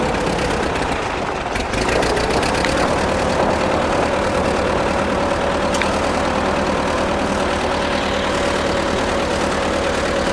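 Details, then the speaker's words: Ford tractor (amphibious project) with Sherman auxiliary transmission, high range second gear, carburetor not yet tuned and wanting choke: thin steady whine over a rough loping idle, gear whine from the Sherman, not too bad. "I heard online that these Shermans would whine pretty good sometimes. This one, I can hear it right now, but it doesn't sound too god-awful bad."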